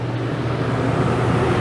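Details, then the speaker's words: Dometic rooftop RV AC after swapping the analog control and thermostat for digital controls (originally compressor ran but no fan); set to cool at 72 with fan on auto, steady low hum, smooth even compressor and fan, no rattles: cooling normally. "we're back to cool we're on 72. we're just gonna make sure it's gonna cool good while we finish buttoning up"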